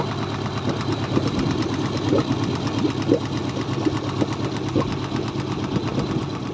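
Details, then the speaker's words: Mercury 90 hp four-stroke carburetor outboard, recently bought used, after cooling water flow restored: irregular light taps about three a second over a steady idle, a valve ticking in the cylinder head; cause suspected, not confirmed. "при последующем запуске мотора в головке блока цилиндров прослушивался характерный стук клапана вот здесь отчетливо слышно как стучит этот клапан"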